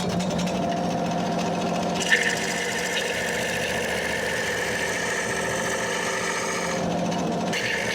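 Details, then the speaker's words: Wood lathe hollowing an ash hollow form with a straight tool and carbide insert, going down a little at a time; steady, even hiss of the cut over the lathe hum, no grabbing or chatter; smooth cutting. "But you can hear this carbide insert. It's cutting pretty smoothly."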